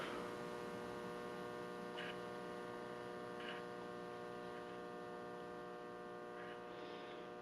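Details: S-5 Electronics K-12G tube amplifier kit, first power-up: steady low electrical hum with a buzzy edge and no signal; mains hum from shop fluorescent lights, while amplifier hum dropped dramatically after an hour of playing.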